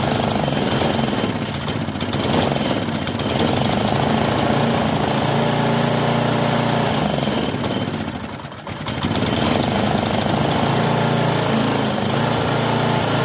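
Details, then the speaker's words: Bluebird belt-driven aerator small engine, bought non-running, on fresh gas: clatters roughly, sags and nearly stalls before catching again, won't run steadily; carburetor found clogged and later cleared with a wire brush. "Looking like we're gonna have to go through that carb. Oh, there goes the pull cord."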